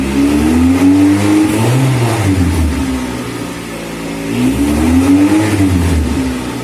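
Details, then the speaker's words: 1990 Honda CRX in neutral, revving from inside car: loud raspy revving rising and falling with throttle, harsher than a sealed system; exhaust leak somewhere, car very loud. "It's in neutral, and you can hear that exhaust leak. The car is very loud."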